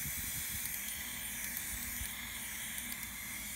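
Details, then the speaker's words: Turbo diverter valve bench test at 30 psi in, only about 16 held: steady thin unchanging hiss of air leaking out of the valve; owner suspects this caused problems on the car he bought with them fitted. "okay we're leaking out through here could be why the car that when I bought the car with these on that could be why I had it"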